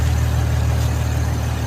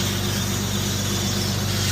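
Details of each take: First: Infiniti engine after vacuum and PCV hose replacement with the original PCV valve refitted: smooth, deep idle with no hiss or whistle, completely quiet. The aftermarket PCV valve made noise, so the owner suspects it. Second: Infiniti (VQ37-family engine with oil catch cans) after replacing PCV valves and vacuum hoses: loud, steady ticking about four per second over a smooth idle; owner suspects a noisy PCV valve; loud ticking at idle.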